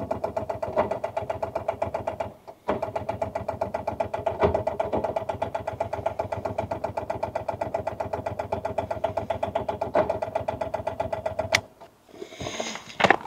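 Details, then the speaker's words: Rover 800 abandoned in brambles for 15 years; rapid, uneven churning of starter turning engine about two and a half turns a second, never catching after being towed in gear to free it; owner thinks starter is weak, engine not seized. Slow cranking, no start. "So what we're going on is, it is spinning over. It's just, I don't think that starter is man enough."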